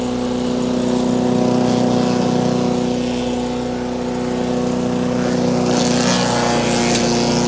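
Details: Wood chipper chipping branches after a broken ear was welded back on; engine holds a steady, even drone as branches crackle through, with no stumbling or knocking. Normal running under load.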